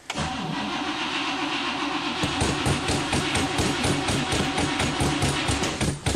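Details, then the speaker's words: 1964 Pontiac Catalina after winter storage, first start of 2010, carb not primed, just a couple of gas pedal pumps: steady starter cranking at about four beats a second without catching. The long crank is needed to prime the fuel pump, considered normal. "you've got to crank it over and over and over and over again just to get it to prime the fuel pump to get gas up in the carburetor"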